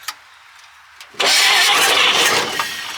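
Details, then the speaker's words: Old Chevrolet Blitz truck, six-cylinder, not run for years after sitting in the bush, newly fitted carburettor: after a quiet pause it fires and settles into a steady, slightly ragged run; running again. "all right she's running I don't want to throw my hand over the top of her and see if you see what she does"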